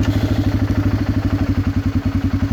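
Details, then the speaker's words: 2004 Polaris Predator 500 2WD single idling in neutral: even thumping about ten beats a second, clean alike pulses, no knock or clatter; starts first turn even cold, no smoke. "Always starts pretty much first turn, even when it's cold. Really solid little wheeler. Doesn't smoke at all."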